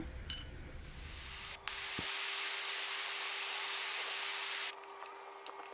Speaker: sorry for the hissing in the background. The governor's gone bad on my air compressor. Anytime the motor is not running, it starts bleeding off.